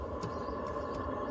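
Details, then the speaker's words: Newly installed diesel heater in a self-build camper van, starting up: a steady rushing hum of fan and combustion settling in as it ignites, with heat from the exhaust; normal start-up. "Oh, there's definitely heat coming out of this exhaust, so the heater has ignited. Oh, there she goes. She has ignited."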